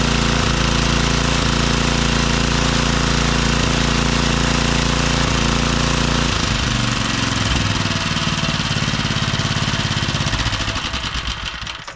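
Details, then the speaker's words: Briggs and Stratton engine after carburetor repair, new fuel line, main jet and idle adjusted: crisp, even single-cylinder beat holds steady, picks up cleanly when throttled, then winds down at shutoff; normal running. "what I did I adjusted the main jet and the idle I'll start it up here and we'll see how it do"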